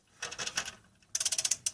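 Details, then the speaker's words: 2001 Dodge Grand Caravan EX, 324K+ miles, crank-no-start with noise when cranking: engine turned by hand with a ratchet on the harmonic balancer bolt gives bursts of light rapid metallic clicking; owner believes the timing chain is faulty. "so I believe I honestly believe I have an issue with the chain um I mean yeah it's moving and everything but you know the cam shaft uh above you know right that's up there on the top part of the engine where the lifters are"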